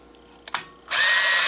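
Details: Kodak KC30 35mm camera in auto flash, shot with the phone light removed so the flash fires: two sharp clicks then about half a second of high whir; normal shutter and film advance.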